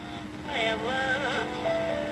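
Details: Juliette FPR-1258 AM/FM radio, reportedly partially restored (probably recapped), on FM with antenna extended: clear, loud music comes through steadily with no hiss, crackle or fading; normal FM reception.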